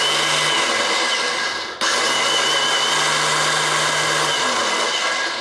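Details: BMW K100 motorcycle, starter refitted, in neutral: high electric whir with no compression beats, cut and restarted; the starter spins free without turning the engine, the common sprag clutch fault in the starter assembly.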